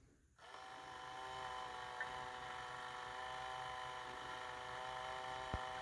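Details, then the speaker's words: Tyco/AFX CC-03 slot car motor during water-dip brush break-in, run about 20–30 seconds then polarity reversed, after reassembly: steady high-pitched whine without surging, audible change as water polishes brushes to commutator; running normally. "There we go, starting to hear that. So it polishes, somehow the water ends up polishing the brushes to the commutator."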